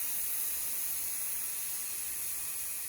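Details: Instant Pot cooking brown rice, a little over 1 minute after releasing the pressure valve: soft, airy steam hiss holding steady and easing slightly toward the end while waiting for the valve to drop; normal pressure release almost finished.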